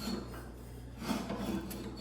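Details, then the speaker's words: MacKissic wood chipper attachment, shaft turned slowly by hand; a slow, uneven scraping rub on each turn because a hammer pin has worked out and rubs the housing. "I am getting some grinding noise and I don't know what that is. If you guys can hear that. Something's rubbing that shouldn't be. This pin right here has worked its way out and is rubbing the housing."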